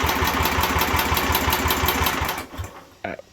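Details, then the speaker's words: 1967 Unico 7hp tractor single-cylinder, first run in 27 years after carb rebuild: chugs evenly about two seconds, then loses power and dies; fuel starvation, suspected restricted fuel pickup, fires when fuel squirted in. "all right so I have diagnosed it as it's not getting enough fuel laundry was sitting there running just fine"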